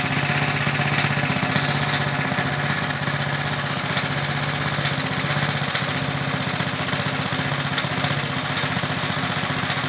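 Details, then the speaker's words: About 1960 English-made Suffolk single-cylinder engine running after carb clean and new plug wire; steady even beat with a light loose metallic rattle from the starting mechanism, though oil is in. "and overall it sounds good. There is just a rattle somewhere. It is in the starting mechanism, and I know there is oil in."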